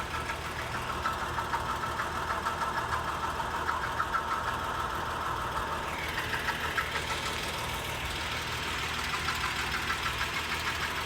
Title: 2011 Acura MDX rattling noise